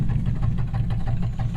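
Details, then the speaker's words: 1947 Cadillac Series 62 with modular flathead 350 V8, cold start after repairs: steady even low rumble with regular exhaust pulses, no knocks or misses; idling smoothly and healthy. "i just figured you guys might like a little you know cold start after all that work we did and uh she sounds good buddy"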